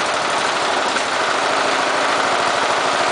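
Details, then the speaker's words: Briggs & Stratton small engine fitted with an oxygen sensor, running lean (sensor near zero volts, about 0.5 V wanted): fast, fairly even idle chug with occasional stumbles and misses. This engine prefers a richer mixture. "however with the uh with a lean mixture this engine does not run very well so we have to you can hear it kind of uh pausing or or missing occasionally"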